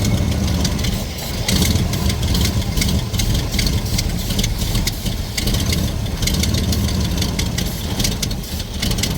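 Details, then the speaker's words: 1968 Ford Mustang restomod, carbureted V8 with headers, running again after carburetor work: deep lumpy idle with a sharp ticking puff in time with the firing; exhaust leak the owner thought he had already fixed. "I do hear an exhaust Lake which I thought I fixed that that's not good"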